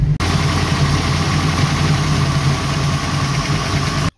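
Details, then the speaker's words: 1966 Mustang, 650 double-pumper Holley carburetor, after transfer slot adjustment, still cold: steady even V8 burble idling on its own without hunting or stalling, normal cold idle; more fine tuning needed when warm. "but at least the car idles now so got to get it up the temperature and you know it's pretty cold still"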